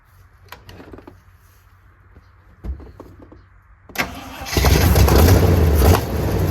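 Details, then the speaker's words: 1979 Jeep J20 V8 that sat a year, started with the choke on a weak battery. Compression is uneven, 80–110 psi with about 70 on the inner cylinders. After a few seconds of cranking it fires and settles into a lumpy, uneven beat; rough running. "so some real in uneven compression um so that meant the motor ran it just sound really funky and kind of just determined that I'm going to repower this thing one day"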